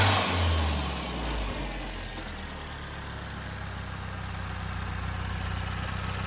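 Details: 2010 Hyundai Genesis Coupe R-Spec turbo 2.0L Theta II with a newly installed GReddy-style FV blow-off valve: revs and settles with a short vent on lift-off and no repeated flutter, where the old valve fluttered every shift; venting cleanly.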